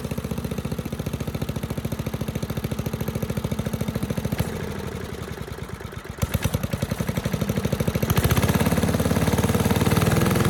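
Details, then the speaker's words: 1984 MTD air sweeper (model 245-692-000), Briggs & Stratton 5 hp flathead (130212-1731-01), started on first pull. It fires evenly at full speed, possibly slightly slow, then settles to a steady idle; normal running, high speed then idle. "It ran at full speed just fine, idled down, sounded really nice, better than most newer engines actually."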